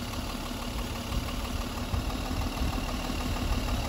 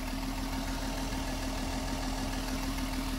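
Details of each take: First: Mercedes M130/M127 engine with mechanical fuel injection pump being adjusted, idling at 700 rpm with fuel turned down: low, uneven idle with irregular stumbles; lean misfire from too little fuel, won't rev with more air. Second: Mercedes M130 with mechanical fuel injection, at operating temperature, pump set 12 turns in from the stalling point and the air screw opened to reach 750 rpm: smooth, steady idle with no hunting; runs great.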